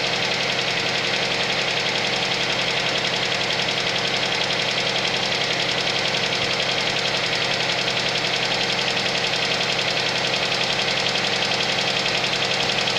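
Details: Suzuki Vitara cold idle: a light rapid knock near 220 per minute, fairly regular over the run; cold-engine knock, cause not pinned down.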